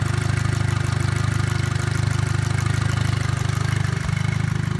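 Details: 2008 GLI at 241,700 km with a fast, light, regular tick of about three or four per second at warm idle that disappears with any throttle. The source of the tick is not pinned down.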